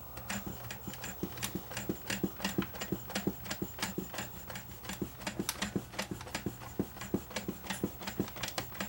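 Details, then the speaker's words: JVC HR-FS1 vertical VCR: entering search mode the cam over-travels and its broken portion jumps out of position, leaving the mechanism free; sharp irregular clicks about three a second over a faint whir. Broken cam slipping out of position. "jump out of position and now this is free. See this is now completely free."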